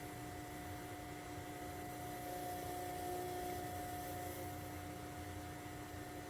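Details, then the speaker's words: Vintage VCR playing a test tape: a steady raspy whir with buzzing tones like a saw blade dragging in the tape path; checked, the tape was not eaten and the VCR seems okay. "you hear that sounds like a saw blade let's just make sure it didn't eat anything"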